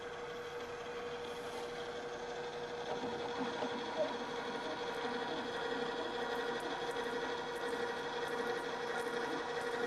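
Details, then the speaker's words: Drill press drilling at low speed with the back-gear transmission engaged: steady low motor hum and smooth cut, the slower speed eliminated the chatter; drill press cutting without chatter. "this is eliminated the chatter"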